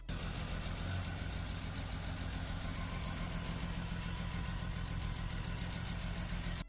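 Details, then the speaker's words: BMW E46 starting and running after fuel pump relay swapped with horn relay, fixing crank-no-start with no fuel after sitting over a year; steady even engine note, no misses or knocks; normal running. "I reconnected the battery and started up the car, and lo and behold, it"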